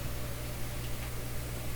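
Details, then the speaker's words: Dual 1009 record changer in a Clairtone console: constant low mains hum with hiss and no music on one channel; suspected dirty contact or faulty cartridge. "so i only hear it out of the left my left side yet when i was brushing i could hear sounds out of the right side"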